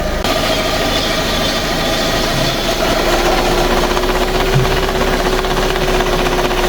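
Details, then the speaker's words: Fiat 500 bought as spares or repairs, running but faulty, put in first gear: steady engine drone with an uneven knock about four a second from one front corner; suspected restricted drive or wheel bearing, wheel possibly buckled, unconfirmed. "Right, we're going to get in the car, put it into gear cuz I want to see if we can hear where that noise is coming from."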